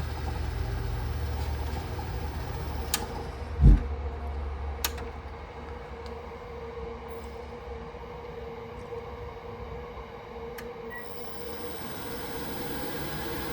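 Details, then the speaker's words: Worcester Greenstar Ri boiler fixed by adjusting air/gas ratio, no parts; click and thump as burner lights, then steady roar and even hum on minimum fire with alarm sounding; burner running normally. "Right, excuse the alarm, but I'm managing to purge it down. And we are on minimum still. It's still fired."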